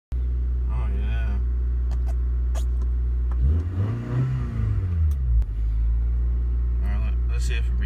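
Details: 1994 Honda Accord, long-standing no-start, after replacing the main relay: steady, even idle with one smooth rev and settle midway, no misses or knocks; engine running normally.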